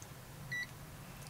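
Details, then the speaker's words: AstroAI TRMS multimeter (M2KOR/M4KOR) in-circuit diode test on large Schottky diodes: one short high chirp on a good junction, low forward voltage shown; normal. "and it gives a little beep a little chirp and these are shot keys so yep pretty low voltage"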